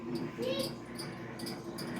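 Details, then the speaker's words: GE microwave running: quick high chirps recur a few times a second over the low hum, for about two weeks and seemingly getting louder; refitting the plate didn't help; still heats, chirping source unclear. "It's working. It's just making a weird sound, and it's been doing it, and I feel like it's been getting louder."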